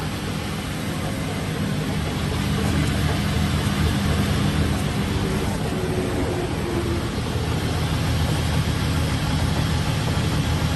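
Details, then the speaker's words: RAM truck wheel turning: rhythmic knock about three per second over a low rumble; the axle is visibly bent and the brake caliper moves in and out. "Hear it knocking. Yeah, you can see this axle here Yeah. is bent."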